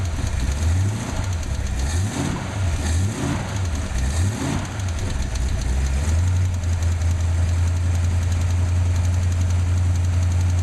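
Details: Ford 289/302 V8 (Falcon) blips the throttle a few times, then settles to a deep idle with a light, fast ticking over it; cause of the ticking unknown.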